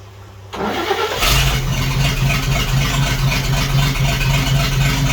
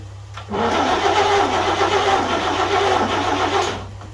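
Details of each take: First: 1941 GMC one-ton pickup, 230ci straight six, first start in 15–20 years: cranks, catches within a second, settles into a steady, even idle with no missing cylinder; runs healthy. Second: 1941 GMC one-ton pickup, 230ci straight six, first start attempt after about 20 years with the coil jumpered and choke applied. The starter turns it over evenly about three seconds with no firing. No spark despite good breaker-point contact; a bad condenser is suspected.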